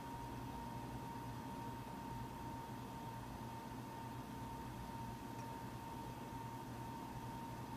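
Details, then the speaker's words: Mac Pro 1,1/2,1 running Geekbench 3 benchmark, 8GB DIMMs tested at 32GB and 48GB: rushing airflow with thin steady tone near 1 kHz over low hum; fans ramp up under load; loud cooling fans under load. "once the benchmark starts running the fans will ramp up more and more and more as the fans go on"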